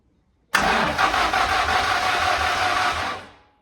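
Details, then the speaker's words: Car sitting 20 years, first crank with fuel pump primed: steady starter churning about three seconds with weak firing attempts that never catch; cranks but won't start. "few little budges but it's trying to fire a little bit more"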